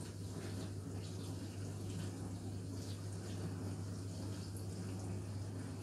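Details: Indesit dishwasher: steady low hum under an even rush of water with no knocks or stutters; the dishwasher is filling normally.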